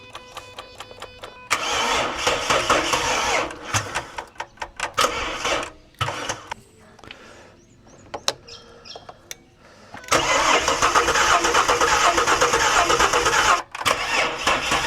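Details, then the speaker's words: Ford BA Falcon XR6 cranked via remote start button with key on: two long bursts of steady cranking about 2.5 turns a second, no firing, slowing as if drawing heavy current; ignition switch suspected. Cranks but won't start. "It says the ignition's not on, but the dash is all lit up, so possibly there's an issue with the ignition switch. And when I'm starting it with the remote start button, it slows down really quick, like it's drawing a lot of current."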